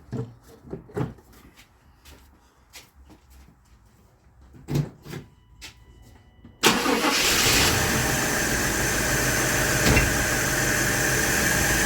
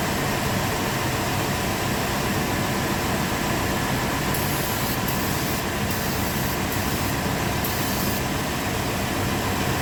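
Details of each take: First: 1997 GMC Yukon 5.7 L, after ignition timing was reset: a few clicks and clatters, then catches and holds a steady idle only on supplemental sprayed fuel; fuel delivery is lacking, injectors suspected. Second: 1997 GMC Yukon 5.7 L after new, pressure-tested solenoids were fitted: steady, even engine roar with no misses, knocks or stumbles over ten seconds; starts and runs cleanly.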